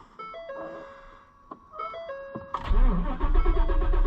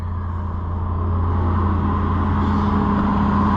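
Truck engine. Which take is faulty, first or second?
first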